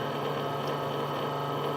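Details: Stepper motor run at about 7 ms per step: buzzing tone with a rough, shaky edge; resonance makes it vibrate and occasionally skip steps.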